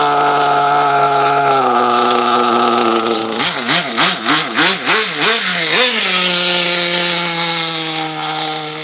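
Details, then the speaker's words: Nitro RC car during tuning: a buzzy high-pitched engine holds idle, then wobbles and bogs through several blips before settling. It bogs when the throttle is released, so the owner plans to hold the idle up and lean the low-speed needle, not the top end. "Let me hold the idle up and go out there and lean it. Just lean at low speed. I have to lean a low speed and try to ignore the uh the way it sounds."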